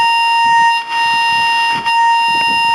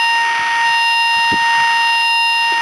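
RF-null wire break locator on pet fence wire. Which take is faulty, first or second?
second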